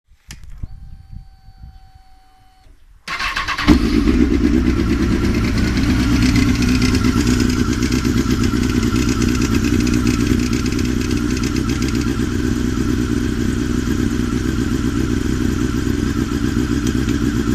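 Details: Honda CBR 954 RR: faint whirring at key-on, then engine idles with a light loose rattle from the HTEV (exhaust control valve) due to a loose spring; fix is re-tensioning the spring.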